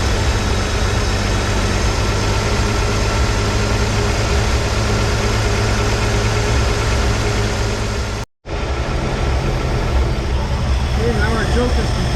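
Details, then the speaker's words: 1983 Ford F150 300 inline-six after the Carter YFA one-barrel carb fix, idle dropped slightly but maybe still fast for a manual: low, even rumble with a faint occasional stumble, air cleaner off. Normal idle. "hey she's running good uh nice idle we're probably maybe a little fast yet for a manual transmission"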